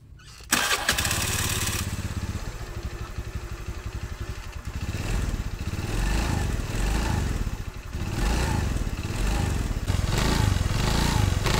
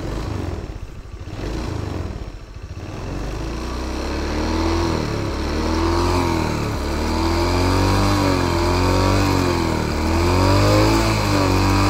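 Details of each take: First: Honda BeAT FI scooter (matic) with rough starter: harsh grinding rattle from CVT housing at initial throttle pulling away, like a shattered bearing, gone at mid-high throttle; worn CVT final-drive bearing, rubber O-ring on shaft holding brass bushing involved. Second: Matic scooter CVT after replacing the CVT case plate and bearing: engine revs and holds smoothly, only mild even vibration from the CVT box, the earlier rustling gone; CVT bearing and engine now quiet, normal running.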